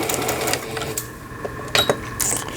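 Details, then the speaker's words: Singer Stylist 7258 sewing machine, 110 V-only, after repair of board blown on 220 V, timing and needle bar adjusted; running pattern stitches: quick even needle-bar chatter, pausing as pattern steps, no grinding or knocking. Running normally. "지금 타이밍 맞추고 바늘대까지 조정해서 잘 될 거로 보여져요."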